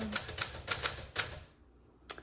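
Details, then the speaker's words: 1961 Smith Corona Sterling 5A series typewriter: five crisp, evenly spaced key strikes in just over a second, then one more, no drag, rattle or double hits; typing action is wonderful, though the return is grindy and noisy. "Okay, so the typing action is wonderful."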